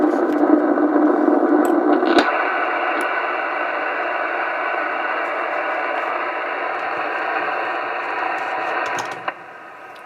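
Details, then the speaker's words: Receiver on 2 m band (AM, also upper sideband) near A&H 12 V 4 A switch-mode pulse repair charger on sealed lead-acid battery; steady rushing buzz persisting until charger unplugged: switch-mode charger RF interference. "on upper sideband you can still hear noise from it and on another radio"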